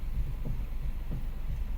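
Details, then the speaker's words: Hyundai i20 petrol steering: dull low knocking about twice a second while turning, over a faint hum; suspension or steering source not yet pinned down. "ये देखिए cut cut की आवाज आ रही है ना, ये इससे क्या पता चलता है।"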